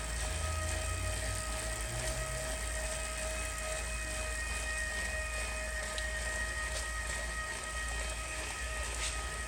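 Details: Older Wahoo Kickr gen 3 smart trainer at 30 km/h: steady, fairly quiet whir with an even mid-pitched hum, no rubbing or clicks; sounds normal.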